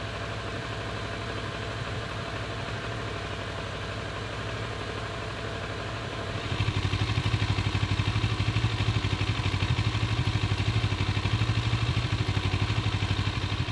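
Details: Warm Kawasaki ER6-n twin idling stationary after 30 minutes of riding, with an uneven, lumpy beat around three pulses a second that hardens partway through; idle not settling, possible misfire.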